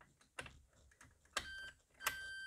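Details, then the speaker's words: 2003 Opel Corsa C, key in second position, heard from the rear: click at key-on then faint steady high whine as the fuel pump primes the rail; normal pump operation. "when you turn it you should see a sound from the back like a whining sound which should come from the fuel pump that's the only thing that will make that sound"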